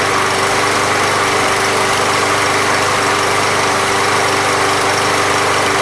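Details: Briggs and Stratton lawn mower (MTD) small single-cylinder, after Seafoam fixed a no-start without carb removal: steady, even buzz with no surging or misses; running normally.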